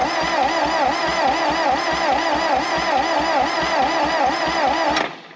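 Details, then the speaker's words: 1960 John Deere 1010 backhoe gas engine on a makeshift fuel setup, given carb cleaner or starting fluid: even starter churn at about 2.5 turns per second for five seconds that never catches; crank no start, no spark suspected. "I guess we have no spark and my fuel setup's kind of janky but um I'm gonna try to give it some carb cleaner and then crank it see what happens starting fluid"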